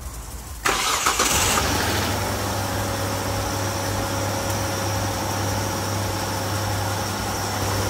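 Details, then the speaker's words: 2005 Hyundai Santa Fe with code P0335 (crank position sensor) that starts, runs a few minutes, then stalls and restarts after a long crank: catches and settles into a fairly even idle with low steady hum, stall awaited. "all right there we go we saw it died"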